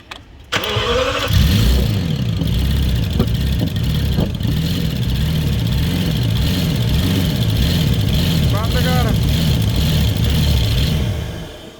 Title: Bmw v12 misfire #automobile #luxurycar #v12 #bmwm5 #real #trending #mechanic #bmw760i